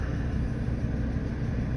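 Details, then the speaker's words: Ford 6.8 V10 truck idling after repairing a blown-out number five spark plug and fitting a new Motorcraft ignition coil; deep, even low rumble with no stumble or skip while misfire data is monitored, running smooth and healthy. "got the Varys on duty going to miss or uh pardon me monitor some misfire data just make sure we're all good seems to be running good old v10s they sure do run smooth"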